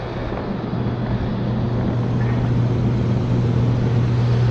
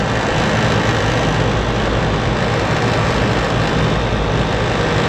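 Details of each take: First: Rooftop HVAC unit with a tripped breaker, dropping blower relay and burnt main disconnect contacts: deep, steady hum around a hundred cycles builds as the compressors start, a loud continuous compressor drone with no clear fault. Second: Rooftop AC unit (RTU) on a no-AC call, where the breaker had tripped, the blower relay dropped out, and burnt main disconnect contacts left low control voltage: both compressors brought on, a steady even low hum with no knocks or rattles; running smoothly.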